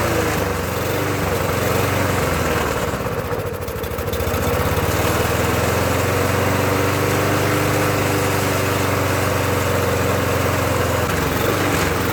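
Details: Murray mower with Briggs engine: runs rough and hunts, speed sagging and recovering; owner suspects loose intake drawing air, though intake later looked okay.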